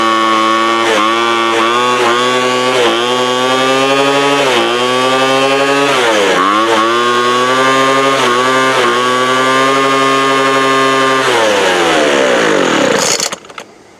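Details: 2007 Sears Craftsman 25cc two-stroke blower, rusty thrift-store find that sat outside, just fired up: high buzzy note sagging and recovering every second or so, then dying; unsteady running, owner suspects air-fuel mixture needs setting.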